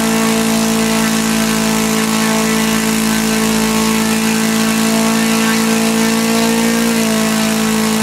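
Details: Laser four-stroke model engine from a Flair DR1, earlier no compression and would not start; after the carb, which had lost its factory settings, was reset, it runs smoothly: steady high-rev buzz, slight pitch change near the end, no misfires, needle not leaned out.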